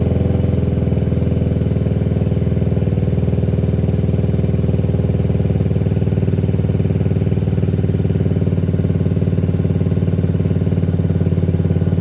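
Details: 2021 Can-Am DS90 carbureted ATV after carburetor idle-screw adjustment: a steady, even low thumping idle without hunting or stumbling; a normal, properly set idle.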